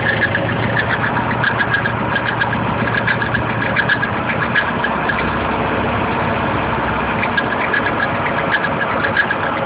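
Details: KA24DE four-cylinder at idle: a light, uneven ticking traced with a hose to the timing chain front cover; the chain is tight, and the owner suspects the chain guides. Cause unconfirmed.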